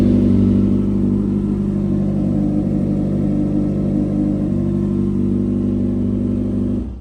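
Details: Yamaha XJ6 motorcycle after a no-start problem (panel light flickering, noise when cranking), owned four years since 2019, fixed by replacing the battery: steady even engine hum with smooth low rumble, no misses or clatter; starts and runs normally.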